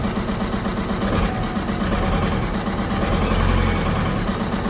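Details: VW 1.9 TDI 105 hp diesel at idle, before repair: lumpy, uneven beat with one cylinder dead each cycle, running on three cylinders; injector 3 making poor contact through a damaged harness connector.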